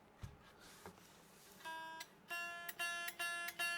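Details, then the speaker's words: Low-cost Ibanez electric guitar as shipped, before setup, with very low factory action and wonky, uneven frets past the third fret: strummed chords give a bright sitar-like fret buzz on each strum. "Hear that? Oh, it sounds like a sitar. Right, so that's [ __ ] I knew it was going to do it down that end because it's [ __ ] wonky after the third fret."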